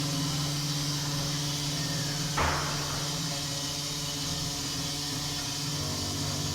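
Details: Armitage Shanks toilet after flushing: steady low hum under a constant hissy rush with one brief thump while the cistern refills; noisy refill.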